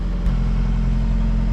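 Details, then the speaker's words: Excavator diesel with 5500 hours started in cold weather: brief stammer at start, then smooths right up with a little throttle into a deep, even idle rumble with no knocks, misses or rattles; normal healthy diesel idle. "give her a little throttle oh smooths right up oh yeah i like that this thing sounds good"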